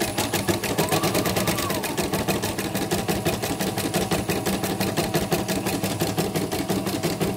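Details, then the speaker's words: CNY M34 embroidery machine after parts were replaced for an unresponsive screen and a harsh noise: quick, even stitching ticks at a steady pace with no knocking or catching, so it is running cleanly. "Ini mesin 34 ya, udah jalan. Yang diganti diganti ini, yang diganti kita nanti dites lagi di video lagi pas sudah ditutup. Ini lancar, bagus."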